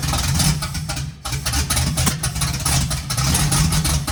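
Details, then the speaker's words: 1951 GMC five-window cab-over truck, first start, timing off, running on starting spray with no fuel to the carburetor yet: catches and runs ragged in uneven bursts with choppy gaps; suspected to need more timing advance. "Just run her off the spray foam. Might need a little more timing."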